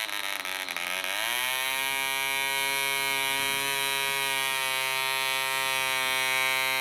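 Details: DC Spitfire 1cc model diesel on an 8x4 prop, D2000 fuel: high buzz climbs in revs then holds with slight waver, uneven running as the loose needle valve rotates with vibration and the compression screw winds itself out.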